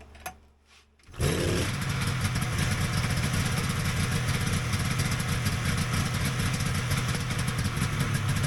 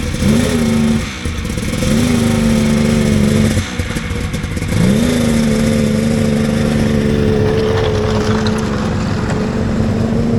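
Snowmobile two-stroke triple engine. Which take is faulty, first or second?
second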